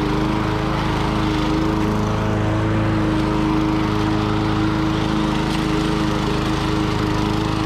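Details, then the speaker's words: Lawn-Boy 10310 mower repowered with an old Tecumseh LV195 engine: a steady drone with a faint, light tapping over it. The engine is old and tired, with a slight knock of unknown origin and little surging. "Since it doesn't really surge a lot and it's just getting old and tired and you can hear a little knocking."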